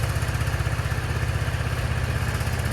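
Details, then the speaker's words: Motorcycle idling after a start on a new Marxon 12V 8Ah 240 CCA LiFePO4 lithium battery: even, steady low putter with regular beats and no misses or clatter; runs great, a healthy idle. "Okay, let's see if it starts up now. It's now running great."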